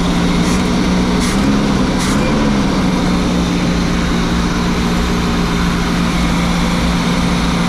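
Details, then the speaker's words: Motorhome first start after sitting over 10 years: big V8 idling with a steady, even low rumble, no knocks or ticks, smooth and healthy; a little smoke, and the owner suspects a small oil leak; normal idle. "as you can see guys this thing is purring like a kitten she sounds great she sounds nice and smooth there's a little bit of smoke but what do you expect for sitting for 10 years"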